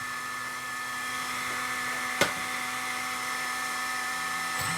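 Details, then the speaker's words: Tamiya XV01 RC car with brushless motor, near full throttle: steady high electric whine and loud hiss from the motor's cooling fan, no clicking or gear chatter from the belt transmission. Normal belt drive running. "alors le ventilo qui est dessus il fait du bruit mais la transmis en elle-même elle fait pas de bruit du tout"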